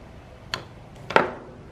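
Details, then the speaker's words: Omron LY2 DPDT relay switching a 12 V DC fan between a power supply and a trickle-charged battery: two crisp clicks about half a second apart. A clean automatic changeover with only a brief interruption to the fan. "en hear the relay click listen and there's only a half a second Interruption and the fan is still blowing now off the power supply and the trickle charge is now charging the battery"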